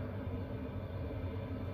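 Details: Chinese diesel heater in a box heating a tent trailer on a roughly 0 °C Alberta morning, 10 minutes in, fan wide open, full temperature bars: steady, even low roar of the fan at full speed, no knocks or rattles; normal operation at full output.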